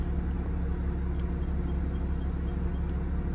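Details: Country Coach diesel motorhome after repairs including new water pump, thermostat, coolant, transmission fluid and alternator belt, temperature nearing its 180 set point: deep, even rumble at steady low idle, no knocks or misses; normal idle.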